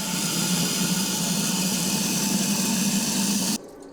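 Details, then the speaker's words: 4-turbo AWD LS-swapped Audi race car, bleeding cooling system: small electric pump whirs with gurgling watery churn, note labouring as it pushes out trapped air and builds pressure. "I can hear the pump changing its tune now, and it actually has to do some work."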